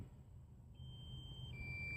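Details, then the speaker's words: DJI Phantom 3 Standard drone controller (paired with an iPhone 5s), stock with no range extender, beeping during a low-level range test near 150 ft; faint high steady electronic tone over outdoor noise, the controller's low-battery warning. "yes my controller is low if you can hear it beeping in the video I'm sorry but the controllers oh no my battery on the throne"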